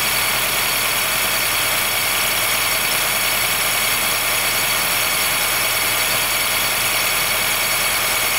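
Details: 2013 Honda Fit Hybrid (FIT3, DAA-GP5, L Package) in cold air below about 10°C; steady high-pitched squeal and creak over a quiet idle with little low rumble. It fades after driving; dealer found no warnings and judged it harmless; source not found.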